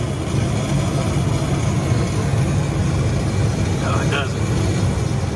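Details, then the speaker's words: Hoshizaki KM451 ice machine compressor, steady dull low hum with no pickup, about 10 minutes into the freeze cycle: evaporator not getting cold and frost pattern poor, smart probe readings show a weak, low-capacity compressor. "uh we got a weak compressor so that compressor is low capacity you can hear it and that's why we're"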